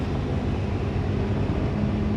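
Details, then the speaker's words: 2001 Ford F150 with no heat and a check engine light, AC compressor clutch engaged: steady rough whirring drone from the cab blower, a low hum creeping in toward the end; blower motor sounds worn, cause unconfirmed. "And that blower motor sounds nasty too."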